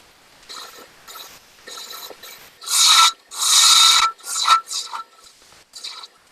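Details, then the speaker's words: Lathe turning a madrone wood finial held in pin jaws, bevel riding the wood while slicing with light pressure: dry, even slicing hiss in short strokes with no rattle or chatter; clean cut. "so i love that cut where that bevel's resting on there and i'm just basically slicing and pushing the tool that way i'm not putting a lot of force on it"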